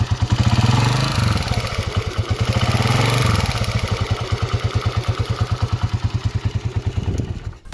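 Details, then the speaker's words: Honda CG125 single-cylinder motorcycle before upgrades: quick metallic tappet ticking on the engine beat, growing louder when revved; rocker in the head to be changed and CDI unit upgraded. "पर एक आवाज आ रही है गौर से सुनना और टपे की आवाज आ रही है कटक टक टक अब मैं इसको रेस दूंगा ज्यादा होगी"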